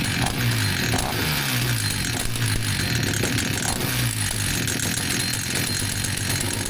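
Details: Vintage Husqvarna 162 chainsaw after repair: started straight up; loud, continuous two-stroke buzz with low pulsing undertone holding steady, oil pumping; runs smoothly and healthy.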